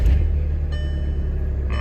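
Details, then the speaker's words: VW TDI common-rail diesel after injector cleaner treatment and a 160-mile drive, started at night, not very cold out; starts much nicer, deep steady rumble without hunting or missing; normal diesel idle. "That was actually nicer. Way nicer. Now it's not really cold out though."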